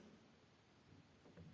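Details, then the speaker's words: Grand piano action removed from the instrument, key and repetition lever worked after a drop of lubricant where the repetition spring rubbed the lever: soft dull thuds, squeak eliminated. "скрипа нет скрип устранили"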